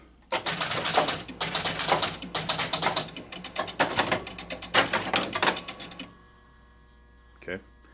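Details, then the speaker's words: 1969 Chicago Coin Moon Shot pinball after repair: bursts of ratcheting clicks and relay snaps, a clunk from the player control unit resetting, then quiet; stays on player one, steps to ball two correctly. "did you hear the clunk in the back that was the player control unit resetting even though it was already reset"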